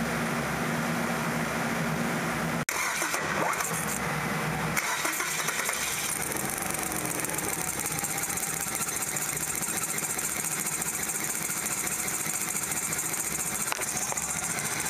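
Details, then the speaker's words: 1998 Kia Sephia 1.8 L DOHC four-cylinder with check engine light on: rough, uneven idle with irregular stumble and hiss; misfire from spark leaking and tracking at the number one long-reach plug wire boot. "well we got some spark leaking out of there how about that very interesting"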